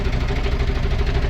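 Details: Large engine, crank no-start under diagnosis: a test light lights while cranking, indicating a ground fault. Steady rhythmic cranking at about seven strokes a second and the engine never fires; a bad ground is keeping it from starting.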